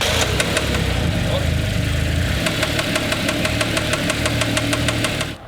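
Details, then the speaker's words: RB20-swapped Ford AU Falcon drift car on first start, ignition timing about 180 out. A sharp, regular knock about three per second, then it dies abruptly and locks up, oil pouring from the block side: connecting rod knock. "what's that ticking I don't know it sounds like something not great"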